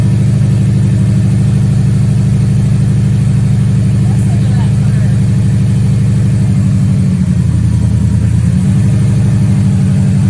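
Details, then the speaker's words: Subaru STI with EJ engine, after a timing belt check prompted by bad bearing noises, and after sitting a month and a half: steady, even, smooth low idle with no ticking, knocking or squeal. The oil pressure and boost gauges are not working. Normal idle. "well ladies and gentlemen boys and girls i would like to report it is running smooth there's no weird noises"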